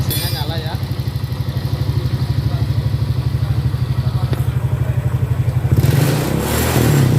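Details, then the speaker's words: Honda Vario 150 scooter engine rebuilt from scratch, radiator cooling system installed, first kick-start after assembly: fires up and holds an even low putter for several seconds with no knocks or rattles; normal idle. "Oke teman-teman, jadi seperti itu cara merakit mesin Honda Vario 150 dari 0 sampai nyala seperti itu ya."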